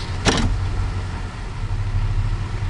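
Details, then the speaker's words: Chevrolet/GMC truck that stalled in gear when warm, after a fix: brief clunk at engagement into drive, then low steady idle hum without stumbling or dying; holds idle normally in gear. "but that truck there it won't shut off I'll put it and drive now"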